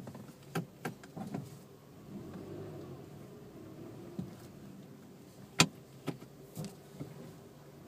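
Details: Suzuki Swift 1.2L: groaning hum with sharp creaks and clicks when braking while moving slowly forward with the wheel turned left or right; no noise with wheel straight.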